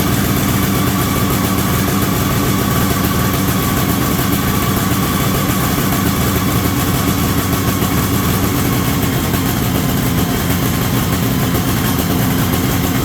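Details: 1973 Columbia snowmobile two-stroke, indoors, after reconnecting the crankcase pulse line to the rebuilt diaphragm carburetor. First run in about 15 years, holding a constant, even idle with a steady buzzy note and no stumbles: normal idle.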